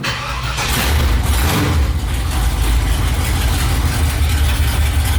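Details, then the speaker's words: GMC Jimmy/K5 project with 454 V8, first start after transmission install, open headers, no exhaust: deep, loud, steady rumble with no misses or knocks; runs like a dream. "like a dream all right well it's loud as shit obviously with open headers"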